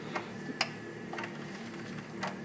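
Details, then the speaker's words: Sony CDP-C445 five-disc CD changer with erratic tray/carousel behavior and load/eject failure: irregular sharp clicks every half second to a second over a faint hum. The mechanism keeps cycling out of sequence, possibly a sensor issue, unconfirmed. "yeah I don't think this uh I don't think the CD changer needs a tech I think it needs a clergy man so yeah what it's doing is not good uh maybe there's something going on with the uh sensors or whatever"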